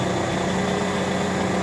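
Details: Ford Mondeo engine idling with a failed power steering pump: a constant, steady droning whine above the idle that does not waver; worn-out power steering pump.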